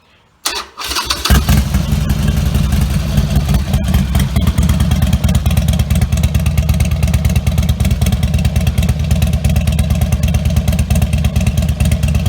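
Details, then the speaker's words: Harley Sportster-family V-twin (Nightster/Iron) with Vance & Hines Blackout 2-into-1 exhaust, before quiet baffle install; cranks, catches and settles into loud lumpy deep-thumping idle with a few revs, decibel meter running; loud open-pipe sound. "We're going to start it up, let you see what this sounds like stock, and then just give it some revs."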